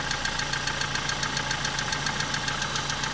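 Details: Car with automatic transmission, idling after the camshafts were replaced. A quick, even tapping three to four times a second that goes quiet when throttle is applied. The torque converter is suspected of not being fully seated, not confirmed.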